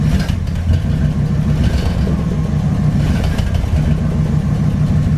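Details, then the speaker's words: 1962 Ford Thunderbird Landau V8, just after replacing mechanical fuel pump: steady even idle with smooth low rumble, no misses or knocks; normal idle. "Good old common sense troubleshooting. She's running really nice."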